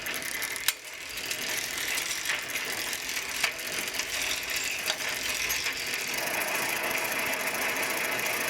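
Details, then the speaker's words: Old Sears three-speed bike with a Shimano 3-speed hub, freshly oiled and pedaled through its gears. Light, even pawl ticking at about four clicks a second with no grinding or rough spots: the hub sounds healthy. "So let's give it a couple of pedals here. Let's see what it sounds like. If it sounds any different."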